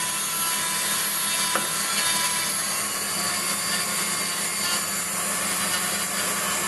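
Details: Waldown/Dumore tool post grinder finishing a bronze bush bore on a lathe, stone worked in both directions with fast in-out traverse and very light cuts: constant high-pitched hiss that stays level with no bumps or gaps. Even contact, so the bore is finished.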